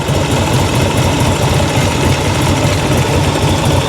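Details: 1986 Harley-Davidson Liberty Edition Electra Glide Classic V-twin, revived after sitting 10 years, during a stator voltage test; steady, even potato-potato beat with no knocks or misses. Stator tests good, engine sounds healthy.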